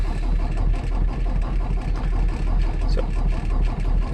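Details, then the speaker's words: 2018 Peterbilt 579 diesel, hard start since new, after dealer replaced priming pump, sat about 48 hours: long steady cranking around three beats a second, never catches; worse than before, starter protection engaged. "actually worse than it's ever been so two weeks in the shop made it extremely works and there's the starter protect over you so I'll try again later"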